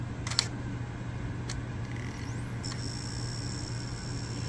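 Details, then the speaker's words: Wii console left unused for years, disc inserted after cleaning the laser: sharp clicks about a second apart over a quiet whirring disc as the laser moves back and forth, skipping; owner thinks the laser pickup is failing, then an on-screen error. "Oh, there goes the skipping again. It's the laser going back and forth. I think that laser is failing."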